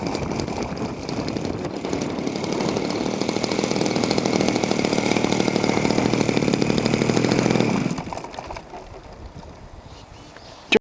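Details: Small two-stroke engine, from an archive clip after repair, revs high, crisp and even, then drops cleanly to a steady idle with no misses or rattles; it sounds healthy.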